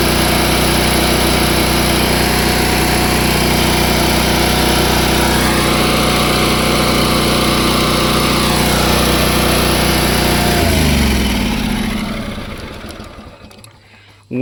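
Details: Small gasoline engine on a crane parked for many years, choke in use. Runs steady and even at a fast idle for about ten seconds, then dies away. Normal running.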